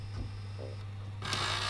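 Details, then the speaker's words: Sony SLV E700 VHS VCR, after repairing the no-power fault and removing a stuck tape: quiet motor hum, then harsh rough grinding from the mechanism when trying to eject the tape. "I have removed the tape from the mechanism but we've got some grinding going on now when we're trying to eject the tape"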